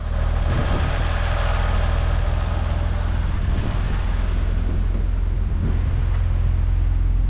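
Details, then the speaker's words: BMW E32 7 Series V12 first start after the instrument cluster repair, battery possibly weak: quiet, smooth, fairly even idle hum with a faint waver, stumbling a bit; sounds healthy and better than before. "okay it's so quiet it's stumbling a bit but that sounds"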